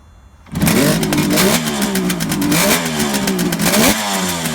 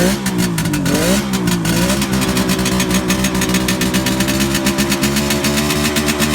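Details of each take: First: 1971 Kawasaki H1 500 two-stroke triple with rebuilt engine, after repair of faulty spark plug cap and loose wire at distributor cap: catches at once, revs cleanly with crisp, even crackle, no misfires. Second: 1971 Kawasaki H1 500 two-stroke triple, rebuilt engine and carburetors, cold start on choke: uneven, lumpy blips with the center cylinder dead; no spark found on the center cylinder, ignition or spark plug cap suspected.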